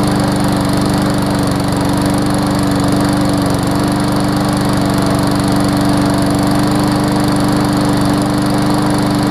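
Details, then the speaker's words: Briggs & Stratton Classic push mower after replacing tar-like old oil and adding Seafoam: steady, even drone with no surging, labouring or misses; normal running, no longer struggling. "it definitely doesn't sound like it's struggling like it was when it had the tar oil in there"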